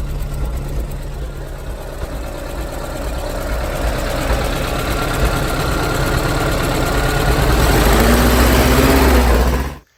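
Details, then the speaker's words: 1967 Porsche 912 with Type 4 2.0-liter flat-four pancake engine at idle: rapid, uneven puffing tick over the rumble from an exhaust leak, to be located by blowing shop-vac air into the exhaust and checking with soapy water. "today we're going to work on the 67 912 that has the 1976 Porsche 912 e-type for 2-liter engine it has an exhaust link and"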